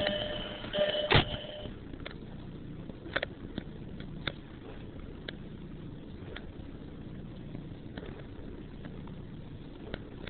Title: jetta startup rough idle